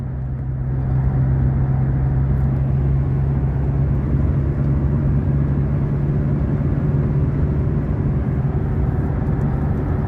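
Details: Ford BT50/Everest diesel after repair for stumbling and stalling on acceleration, cruising in 5th gear at 100 km/h, about 2000 rpm: steady low drone with no misses or surging; runs smoothly and healthy.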